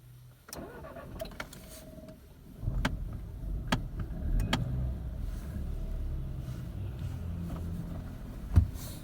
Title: 1.4 TSI Tiguan won't start in cold mornings